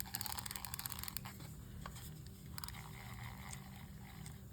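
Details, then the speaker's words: Johnson Century 2000 spincast fishing reel after disassembly, cleaning, lubrication and reassembly (drag washers left dry): line pulled against a pretty tight drag gives rapid, even ratcheting clicks that slow and space out; normal, healthy drag clicker. "let's see what we got for drag we got pretty stri pretty tight drag there's our drag you can hear the"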